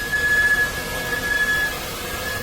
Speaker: Okay, hear that? A squeak when you brake.